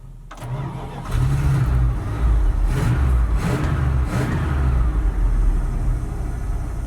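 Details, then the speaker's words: 1977 Dodge D150 Adventurer, 360 V8 with questionable carburetor, revived after sitting 12 years, warming up: brief crank, then uneven surging, lumpy wavering revs that never settle. "Our carburetor is still pretty questionable. Very. It wants to start, but come on now."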